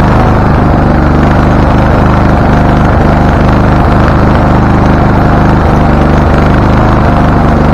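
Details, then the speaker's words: Husqvarna LTH 1438 riding mower, 13.5 engine, reported to backfire through carb and exhaust; first start before repairs, choke not closed: loud uneven chugging at about three beats a second, stumbling; mower shop suspected loose cam gear, unconfirmed. "doesn't seem to be doing anything okay so it is running it doesn't like the idea but it's running"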